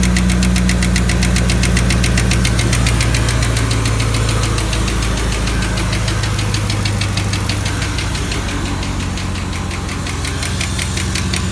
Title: L99 camaro SS lifter tick